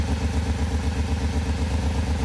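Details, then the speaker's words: Mid-1990s Pontiac Firebird (S, about 1994–95) idling with an uneven, lumpy beat and a repeating stumble from a dead cylinder. A dead miss remains after fixing the coil connector pins; suspected spark or fuel cause, coils next checked. "uh we still have a dead Miss so we're going to verify quickly if the coils are actually doing what they're supposed to do"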